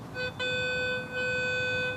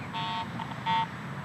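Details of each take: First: Garrett AT Pro metal detector in Pro mode: a clean steady tone from a quarter reading about 85, then choppy beeps from the surrounding iron trash; the good target clearly stands out. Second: Garrett AT Pro metal detector over mineralized soil, nickel buried eight inches deep for a year: three short, uneven chirps near one pitch each sweep, only ground chatter with no clean target tone; improper ground balance masking target.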